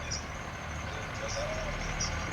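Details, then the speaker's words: Engine at idle: faint high chirp repeating about every second over the rumble; pulley squeaking. "What is it? It's pulley squeaking."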